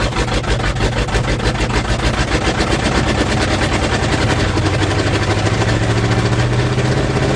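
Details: 1977 GMC 400 V8 truck, cold start after choke pull-off rod adjustment: deep, steady burbling idle with even low pulse, no misses or knocks; healthy cold-start warm-up idle.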